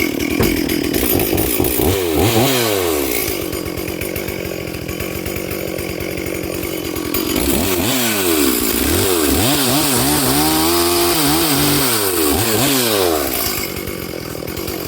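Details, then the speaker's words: Stihl 440/460 hybrid chainsaw cutting on its first tank since a rebuild, rings bedding in. It revs and bogs through each cut with a burbly, uneven note off the wood. The carb is set rich, four-stroking, and needs a slight tweak. "As I say, I haven't got a screwdriver with me, and you can probably hear it does need a slight tweak to the carb."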